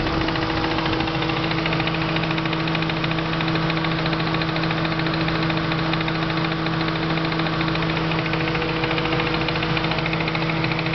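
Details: Supercharged petrol engine idling with a steady, loud knock of about three to four beats per second. It is mostly present after hard driving using the blower and usually fades after a while; the cause is unknown.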